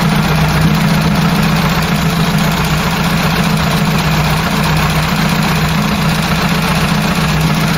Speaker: i've done the gapping i've gapped up the point so it's ticking over a bit nice